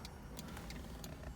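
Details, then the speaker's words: 1983 Ferrari 308 under rebuild; faint crisp ticks a few times a second over low hum; hazard flasher relay clicking normally, hazards now working after previously not working. "One of the things that wasn't working, so we could hear our hazards working."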